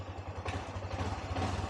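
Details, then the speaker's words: Yamaha motorcycle (Y16ZR/NMAX/XMAX) after pairing new aftermarket keyless remote: switched on and started, engine catches and settles into a soft, regular low idle pulse; clean start, keyless setup successful. "Okey, kita on. Kita tekan on. Kita start."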